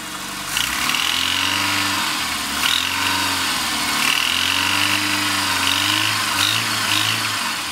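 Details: Rover Mini Cooper MPi being blipped; a harsh metallic knock only as the throttle opens, gone at steady or falling revs, source unidentified.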